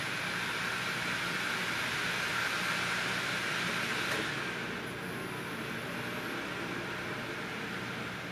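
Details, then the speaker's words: Opened-up optical drive writing a DVD-RAM disc: high steady whirring whine winds down, then spins back up repeatedly. Speaker blames the drive's firmware for writing at max speed without accounting for how DVD-RAM works. "that thinking is just disastrously bad because just just watch it's very frustrating"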